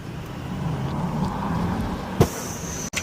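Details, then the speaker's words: 2024 GM HD2500 L5P Duramax with new Banks Derringer V2 harness at level five: punched from about 20 mph, pulls hard, then loud pop and hissing whoosh as hot-side boost pipe blows off, likely near 30 psi boost. "Dang, so much pressure. I just blew my boost pipe. That was quick. Y'all hear how cool that sounded though?"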